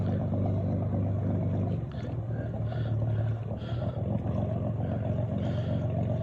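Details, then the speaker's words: Boat engine at low speed: low steady rumble with an uneven, sputtering exhaust beat that sounds like a misfire, actually exhaust water being blown out of a low spot in the exhaust pipe; runs smoothly with throttle, no real misfire. "you know earlier it sounds like a misfires but we figured out there's a low spot there's a huge low spot in the exhaust pipe and the engine has to blow the exhaust water out of that low spot in the exhaust pipe"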